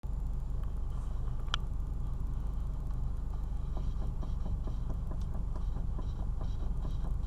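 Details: Mitsubishi Lancer IX while driving: dull, uneven knocks, roughly two per second, through low road rumble from a knocking steering rack.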